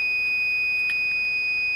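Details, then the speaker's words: GE microwave door microswitch tested with an ohm meter: a steady, unbroken continuity beep showing the switch is closed and conducting as intended. "so this one this particular switch is meant to the beeping it's meant to to be closed all the time"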